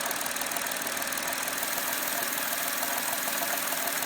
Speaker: so I had that rough idle problem and it was a vacuum leak in the manifold and so the piece that's leaking is right there